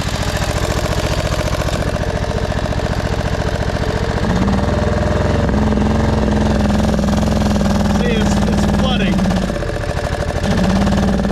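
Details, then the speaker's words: 1999 Craftsman lawn tractor, 20 hp V-twin, first mowing test after a new gas tank and before a carb clean: uneven chugging at about 3.5 beats per second, hunting and dipping; runs rough and floods, suspected carburetor issue. "That's weird. Sometimes it does that. Not happy right now. up here. All right. Well, to me it sounds like a carb issue and we've had some flooding problems."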